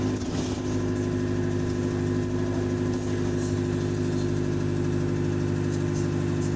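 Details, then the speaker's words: Bus diesel engine under throttle on route: steady pull with a faint, quick light tick riding over the engine note, heard whenever the engine is throttling, including slightly at idle; source of the tick not identified. "but yeah anytime the engine is throttling you hear that tickling noise you hear that tickling noise"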